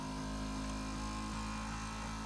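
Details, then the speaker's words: Power seat motor after vacuuming and lubricating as preventive maintenance: even, steady electric whir at constant pitch with no binding or strain, already sounding faster; normal operation. "I can already hear it speeding up."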